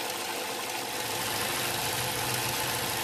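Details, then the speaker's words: 2008 Ford Fusion 2.3L at idle: steady airy hiss over the engine note from a vacuum leak under the intake, located by spraying brake clean while watching short-term fuel trim; suspected at the PCV valve or hose. "now we're just going to kind of generally spray around where we think this leak is and i think we found it already there it is"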